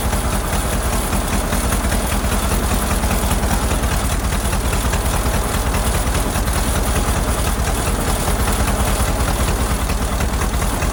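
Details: Ford Model AA doodlebug four-cylinder after a carburetor swap: rough, lumpy idle with an uneven lope near 2.5 per second; shorting the plugs with a screwdriver points to cylinders 3 and 4 not firing well, and a stuck-open valve is suspected.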